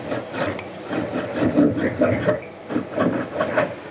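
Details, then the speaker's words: Water pump motor being repaired, shaft turned by hand: uneven gritty rasping in short bursts from the worn front bearing; the back cover bearing is quiet and the rotor shows no scratches. "ठीक है ये आगे वाली bearing से ये आवाज आ रही थी"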